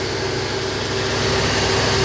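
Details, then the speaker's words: 1995 Mercedes-Benz S420 W140 during restoration, first run after clutch, water pump and thermostat work, ASR light on with transmission in limp mode: steady even hum, no hunting, around 1500 rpm where 500-600 expected; high idle, cause unknown. "as you can hear probably she's robbing kind of high Ralph 1500 rpms and a high for this car she's sounding good though"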